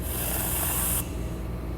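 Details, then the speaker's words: 2005 Procharged Trailblazer fuel injector bench test, pressurized: a steady spray hiss cuts off cleanly when the terminal is released. The injector closes properly and isn't sticking after tapping. "tap it a couple times and this one also seems pretty happy"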